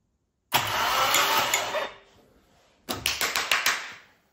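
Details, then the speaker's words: SR20 engine swapped into a Datsun 200B, started for the first time: it catches and runs with a harsh clattery valvetrain rattle and sharp clacks that quiet as oil pressure builds; owner suspects bled-down lifters. "Don't worry about that noise, that's a lack of oil pressure. You could hear it quieting up there. It was very noisy. I think that was lifters might have bled down, so that was rattly as."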